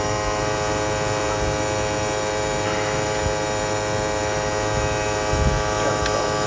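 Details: 2008 Toyota Prius AC compressor at 6000+ rpm on full cooling, low refrigerant charge: steady high whine with a beating, gritty grind underneath from lack of oil and refrigerant cooling returning; the discharge line is very hot and the compressor is shortening its life.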